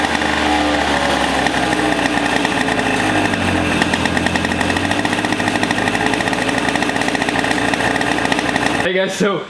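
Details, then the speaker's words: Donated two-stroke racing go-kart, possibly 100cc (displacement unknown: 60, 85 or 100), first run in many years after starter rebuild and fuel/spark troubleshooting: crisp buzzy steady high rev, even firing, no misses, cuts off cleanly; runs well. "got it running it sounds amazing"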